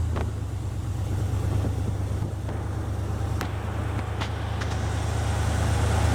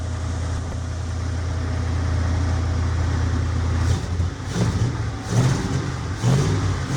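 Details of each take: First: 1975 Jeep CJ5 carbureted V8 just started after a 650 Holley carb rebuild and fixing a vacuum leak with a PCV line: deep, steady rumble with no knocks, misses or hissing leaks; runs well but idle is too high. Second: 1975 Jeep CJ5 V8 just started after a 650 Holley carburetor rebuild and PCV line fitted to fix a vacuum leak: cold, steady raised fast idle because the idle air screws are still unadjusted.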